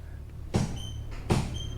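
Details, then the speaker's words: 1973 Nova 350 SS hatchback, front wheels down, rear on axle stands and bounced by hand to chase a reported rear banging over bumps: two sharp dull clunks; loose lower shock absorber mount clunk. "okay I'm sure you can hear that hopefully that's quite a clunk"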